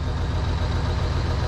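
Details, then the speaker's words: New Holland TS115A tractor diesel after setting injection timing: a little rough at the start, then fires right up and settles to an even, steady idle with a low regular beat, no knock or misfire, no smoke; a ticking of unknown source was noted earlier. "but fires right up. Doesn't sound bad. Not smoking. I'm gonna leave it alone and I'm gonna call it fixed."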